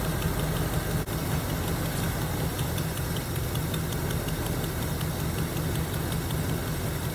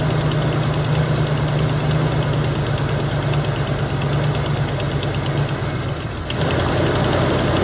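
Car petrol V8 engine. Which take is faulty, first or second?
first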